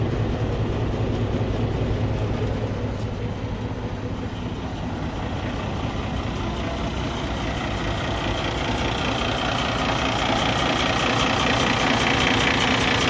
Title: Cummins ISX ISX15 compression leak to the exhaust internal engine failure